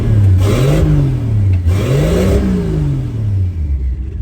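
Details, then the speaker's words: 1963 Plymouth Valiant turbo slant six, blow-through Carter BBD carburetor: revs rise and fall with an uneven, lumpy pulse as a cylinder drops out. It smells rich, and the owner thinks idle fuel needs reducing. "I can hear a cylinder dropping out. Yeah, that noise. And it smells a little bit rich, so I probably need to take some idle fuel out now."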